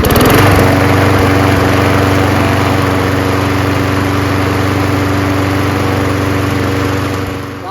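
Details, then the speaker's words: Craftsman 21in push mower, Briggs & Stratton Quantum 6.5HP primer-bulb engine after carburetor clean and new fuel line: fires up, steady even drone with no misses or surging, then winds down; runs well. "primer bulb kind no bad but fires up and runs pretty"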